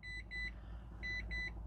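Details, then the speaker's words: 2012 Mitsubishi i-MiEV electric car, empty fuel gauge and many warning lights flashing: paired high-pitched beeps about once a second over a faint hum, car unresponsive to accelerator pedal; cause unconfirmed, codes may need clearing. "okay I've got empty fuel gauge and flashing and a bunch of lights so I'm going to say it probably doesn't drive but maybe it will yeah not responsive to the pedal so probably not going to drive"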